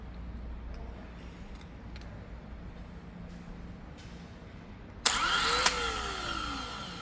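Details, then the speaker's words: Replacement starter on an aircraft engine after 22 years sitting, ignition off and fuel closed, snaps on and whirs up quickly and strongly before coasting down; healthy brisk starter. "See the difference? This one goes out with a with some gusto. This thing sounds like it's in a going through some gravel."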